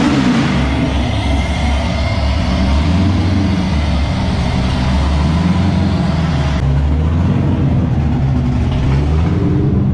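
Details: LS7-powered S14 competition car, sat about three months, freshly serviced, rear-mounted radiator bled: deep, even V8 burble rising and falling smoothly with throttle, no misses or knocks, running on all eight cylinders.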